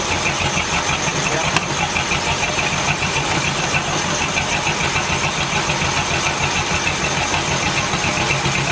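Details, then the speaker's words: 1950 Ford shoebox flathead, revived after sitting for years, idling: loose irregular knocking over a steady idle comes from the 6-volt starter being fed 12 volts, not the engine; starter may have issues. "the engine runs it wasn't knocking the knocking noise was coming from the starter uh there might be some issues with the starter"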